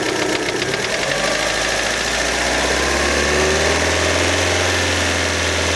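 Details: Fiat Panda, warm engine, idle with blips of throttle: light uneven tapping about four per second under the engine note, continuing as revs rise; engine knock, cause unclear.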